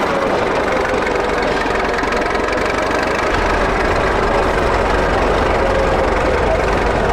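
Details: 1941 Caterpillar dozer that sat for years, started via pony motor: steady, even diesel idle with a low rumble and no knock or miss. Pushing the lever forward shuts it down, so it only idles. Normal idle.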